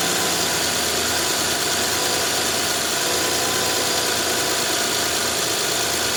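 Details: 2011–2017 Honda Odyssey, first start after a timing belt kit replacement: steady, even idle with a smooth whirr and no knocks or ticks; engine sounds healthy.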